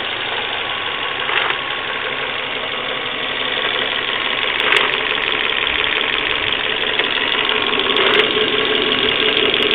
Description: Volvo V40 1.6 mit komischen Geräuschen aus dem Motor, nachdem der Motor warmgefahren ist